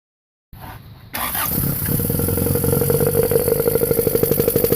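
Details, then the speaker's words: Honda Civic EF with swapped B18C4 and OBX individual throttle bodies: catches after brief crank, revs with uneven lumpy pulse about three beats a second; rough under throttle, owner suspects nonstandard ECU setup, unconfirmed. "so I think it's just because it's so out of standard that it's just not running very well so I'm going to get a different e you and check how that runs"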